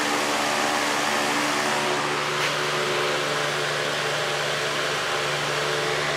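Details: Patton 18-inch high-velocity fan, model U2-0018, four-pole PSC motor, running on high after its blades were re-pitched steeper to fix imbalance and noise: steady even rush of air over a smooth motor hum, no ticking, rubbing or wobble. Healthy running.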